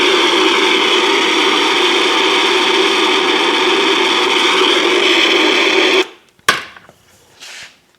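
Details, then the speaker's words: Transistor tester's audible leakage test on the failed protection-circuit transistor from a Pioneer SX5570: a loud steady hiss with a faint whistle that stops abruptly. Unlike the quiet hum of a good part, it audibly shows a leaky, bad transistor. "There, that very, very visually and very audibly shows that that was a bad transistor."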